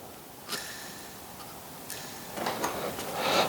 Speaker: especially if it's laying down like this I think this bearing is toast I'm going to need to go and replace it